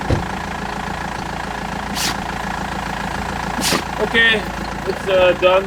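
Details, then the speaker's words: BMW E91 320d diesel idling after turbo replacement and new crankshaft pulley; even diesel clatter at steady idle with no rumble, knock or surging, previous rumbling gone — normal idle. "now it seems to be running fine no more rambling uh everything is fixed"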